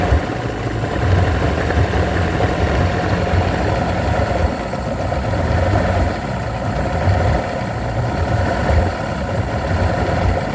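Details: Evinrude V4 120 outboard idles with an uneven, lumpy low beat, running rough, briefly smoothing, then falling rough again.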